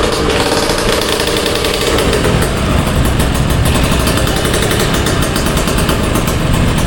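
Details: Old two-stroke Kawasaki Ninja RR revving: raspy, tinny crackle over a thin exhaust note, traced to the exhaust joint, which is to be replaced; exhaust header leak.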